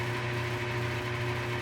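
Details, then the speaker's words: Refurbished Dunlap 103.23622 Craftsman benchtop drill press, newly repaired pulley, on the slowest of four pulley steps (guessed about 800 RPM): quiet, even motor hum with soft belt whir, healthy; previously noisy and underpowered. "Pretty whisper quiet. And this is set on the slowest speed setting."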